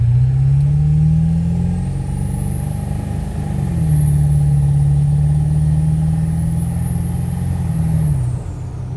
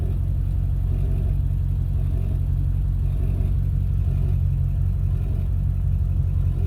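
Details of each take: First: Ford 7.3 Powerstroke diesel with KC300X turbo, after exhaust manifold leak repair: clear high turbo whistle rises and holds over a deep diesel drone under load, then fades as throttle lifts; turbo much louder, normal. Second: Ford 7.3 Powerstroke diesel with KC300X turbo, power loss, slow spool, poor mileage: deep rumble with loose uneven puffing pulse from exhaust leaking at turbo up pipes.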